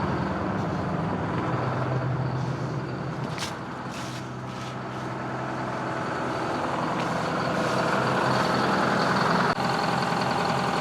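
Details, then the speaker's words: 1960s Insley H2250 100,000 lb excavator diesel, heavily smoking: lumpy, uneven, loud running with irregular thumps three or four a second. Owner suspects one bad injector; oil pressure unknown. "Man, it's gotta have one bad injector."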